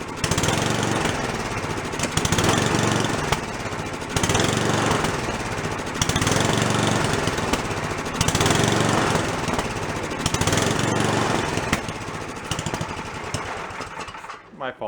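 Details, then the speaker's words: Free old snowblower small engine, first start after cleanup, no choke: revs swell and sag about every two seconds, never settling; idle screw gives no response; blocked carburetor idle circuit, carb to be ultrasonically cleaned. "didn't pull the idle circuit out has no idle circuit we gotta go take that car block soak it so you can get to come clear no response from the adjusting screw neither"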